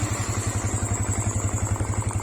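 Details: Motorcycle fitted with CR7 remote alarm and 5-second injection delay starter: even low thumping idle about nine beats a second, steady with no misses; normal, delay module working.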